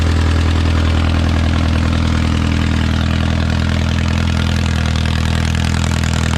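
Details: Original early-1950s engine of a Renault 4CV (engine failed early 1950s with cracked block, weld-repaired), reassembled and run for the first time in ~70 years, warming up: steady even low putter around 220 beats a minute, no knocks or misses, barely smoking; normal idle.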